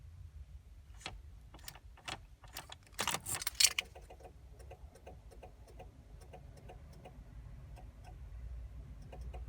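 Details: 2000 Chevrolet Blazer, no crank no start with erratic dash lights: irregular light ticking with no cranking over a faint hum; cause found to be a rusted battery ground connection, fixed by cleaning it.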